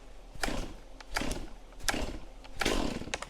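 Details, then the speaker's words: Chainsaw cold start on full choke: several cord pulls about a second apart, one ending in a brief stronger pop as it fires over; next step is moving to second choke, since missing this first fire leads to flooding. "That noise right there. Now I pop it up to the second choke. And that's as easy as that."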